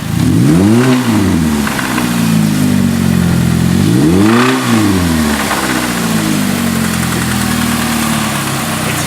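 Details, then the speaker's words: Stanced Chevy Cobalt after oil pan work, revved twice: a loose tinny rattle on each rev peak that fades at idle; it is absent in normal driving; owner suspects a bracket by the timing chain hitting. "so the car makes the noise when you rev it but when you're driving it like normally it doesn't make no [ __ ] noise"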